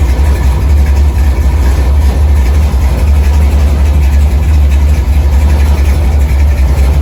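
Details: 1964 Chevy II Gasser, LS V8 swap with Holley Terminator X; deep steady rolling lope, even, no knocks or misses, idle set at 950 rpm (owner wants 800); normal idle.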